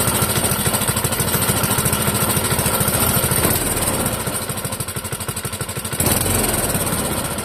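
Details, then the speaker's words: Clinton model 3100 small engine on the bench, being run out of fuel: loud, choppy uneven chug with a dip then recovery; running on half choke. "It is currently running on half choke."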